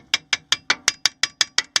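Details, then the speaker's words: Chevy Astro with brake pads replaced three weeks earlier: sharp metallic clacks, about five a second, as pads knock loosely inside the caliper on both sides while driving, wearing the pad pin and caliper cutout; aftermarket shims are the fix. "basically what's happening is they shake so much they're so loose inside here I don't if you can hear this Rattle and it's on both sides same thing over there"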